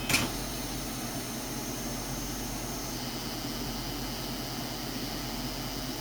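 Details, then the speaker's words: 2007 FSP 300W power supply, likely group-regulated, with hard drive disconnected: steady high-pitched hiss and buzz seeming to come from the main switchers; owner suspects capacitors, not confirmed. "and the noise has returned and actually mention again it does like it's coming from the main switchers"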